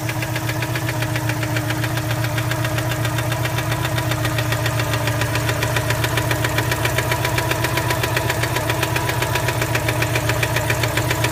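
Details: 1987 Citroën 2CV Special, hot idle: a noise that appears once warm. Sharp, regular knock at about 220 a minute that tracks the engine, from inside the engine rather than tappet tick. Internal engine knock.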